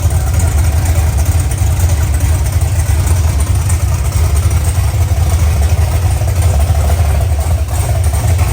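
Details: OBS truck V8 on its first fire-up with open headers: a loud, deep burble and raw bark at a steady idle with no knocks or ticks; it sounds healthy, though the O2 sensor near the header end gives erratic air-fuel readings.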